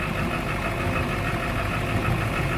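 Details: High-mileage turbo diesel in cold weather, just caught after a no-start, with a rough, clattering, uneven cold idle; dead glow plugs and water in the fuel were found, along with an exhaust back-pressure valve stuck closed.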